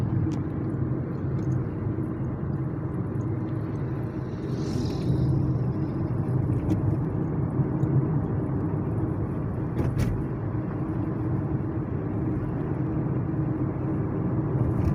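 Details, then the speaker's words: Kia Cerato front suspension after replacing stabilizer bar link (left side, original part), driving over irregular road: only steady tyre and road rumble, no knocks or clunks; suspension tight. "E aí graças a Deus o problema foi sanado não escuto uma stock toque nenhum tô passando aqui numa via Que por sinal ela é um pouco irregular"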